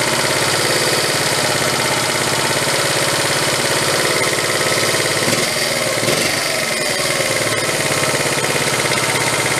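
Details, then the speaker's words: 1974 Honda Z50 monkey bike, restored but never ran, carburetor idle turned up: fast, even single-cylinder putter holding steady with a brief stumble midway; sounds more in tune, normal idle. "all right sounds better Stephanie sounds much more in tune"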